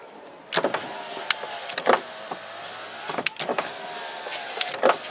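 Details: Short bursts of smooth motor whine as glass travels and stops cleanly in a Lincoln Town Car whose windows were rigged up to work; window motor working normally.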